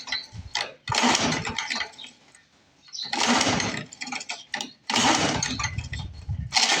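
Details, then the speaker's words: Lawn-Boy Mag 21 push mower left for scrap about 15 years, repeated recoil pulls with brief rasping spins, engine turns over but never fires; cranks but won't start, cause not identified. "I think this one's going to have to go to the Lawn Boy Parts Boneyard because she should have lit by now."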